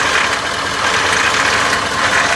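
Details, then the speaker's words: Ford 6.7L diesel, warm Florida weather, low oil pressure warning on restart (problem occurs at 68-95°F, traced to one part): steady hard clatter and metallic ticking at idle, no pitch rise; cause suspected, not confirmed. "yes it still got low oil pressure I can hear it this is amazing"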